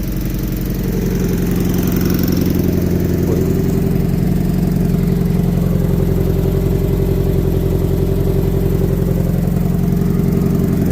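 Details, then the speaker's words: Year 2000 MGF 1.8, mid-engined, abandoned five years, just started on a jump from a running Mercedes, fresh fuel added: even, settled idle with a steady low pulse, no tapping or stumbling; sounds healthy, trying to find its idle. "it's got a nice tone to it. It help me sound like that. Is that sweet?"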